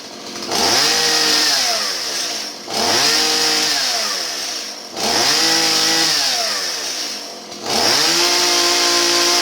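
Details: Stihl 017 chainsaw after retrofitting an adjustable non-EPA carburetor in place of the bogging EPA non-adjustable one: four clean throttle blips, each rising sharply to a steady high scream without bogging; revs crisply, running healthy.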